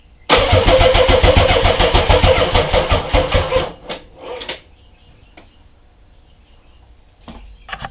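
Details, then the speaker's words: Nissan 300ZX twin-turbo, first start after fitting fuel rails, injectors, coil packs, timing belt and mass airflow sensor: starter spins quick and even for about three seconds, no firing; owner suspects a leaking fuel injector. "Well, first attempt unsuccessful. Obviously it cranked over. It sounds pretty good, but I think one of my fuel injectors is leaking, so I'm gonna investigate that and we'll try it again in a little bit."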